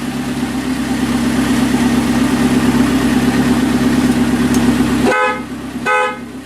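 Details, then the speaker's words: 1981 Alfa Romeo Spider Veloce, first run in about 8 years, warm and idling around 900–1000 rpm with exhaust section missing; two clear, strong horn blasts, the horn works. "have horn all right we'll leave you for now"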